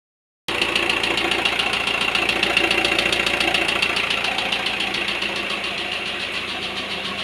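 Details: Volkswagen T5 idling with a sharp regular tapping about three or four per second over the running note; engine knock, cause unclear.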